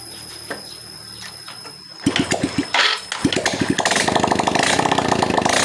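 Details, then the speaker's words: Motorcycle single-cylinder engine after fixing smoke (new piston, rings, valve seals, lapped valves, carb leak fixed): cranking chuffs, then fires and settles to a quick even beat, no knock or rattle; smoke gone, runs healthy. "Ini udah hilang ngebulnya dan insya Allah suaranya juga udah enak ya"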